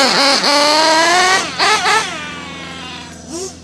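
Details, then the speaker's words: Modified Nova Rossi .28 nitro engine during break-in, about 60°F: high buzz rises, stumbles and sags before picking up whenever the needle is leaned slightly; lean hesitation, the engine prefers running rich. "every time I go to leaner a little bit just doesn't want to lean high now you hear that hesitation"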